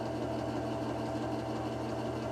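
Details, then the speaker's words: Lubricant test rig running unloaded with AFO concentrated refrigerant oil, drawing 5.1 amps, decibels maxing at 97: steady, even motor hum with a low constant drone, no knocks or grinding, before pressure is applied. "what we can see is, starting out, we have an amp meter that's showing we're at 5.1 amps unloaded. The decibels are maxing out at 97."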